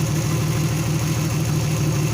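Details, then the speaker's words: Turbo Venture van first start in months: rough, lumpy idle stumbling about four times a second, dead misfire on cylinder 5 with no injector pulse; fixed by running a new wire from PCM pin 30. "man she's running like crap a dead Miss on number five"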